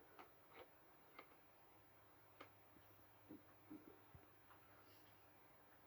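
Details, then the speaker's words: Holophane ARO 2 streetlight (abandoned since the 80s-90s) on BF250 ballast, 70 W sodium lamp with internal ignitor via E40-E27 adapter: faint, irregular soft ticks about every half second over a low hum as lamp strikes; ballast working, normal. "Et dès que la lampe s'amorce et qu'elle pète pas à la tronche, bah, c'est que le ballast fonctionne."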